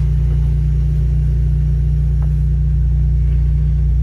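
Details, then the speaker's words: Fiat Strada 1.4 Fire Flex idling with scanner connected: extra low rhythmic puffing about four times a second over steady idle, rear muffler perforated and due for replacement; exhaust leak from holed muffler. "Esse barulho que vocês estão ouvindo a mais, pessoal, é porque o escapamento do carro, o final, o silenciador final, ele tá furado."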